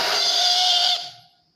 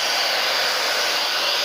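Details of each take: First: Taiff 2100W titanium hair dryer blowing strong air but making a loud, steady high-pitched scream that fades after switch-off; motor found stiff, not moving up or down, with hair inside; dry, hair-clogged motor bearings needing cleaning and lubrication. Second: TAIFF 2100 W titanium hair dryer after cleaning and lubricating its motor to cure loud screeching: steady even airflow hiss, no squeal or scraping, until switched off; motor sounds healthy.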